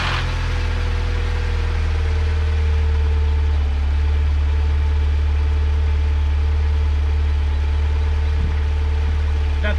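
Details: 2008 Pontiac Solstice after timing chain and water pump replacement, first start: smooth low idle hum with a steady fast pulse and no chain rattle; engine settles and runs healthy.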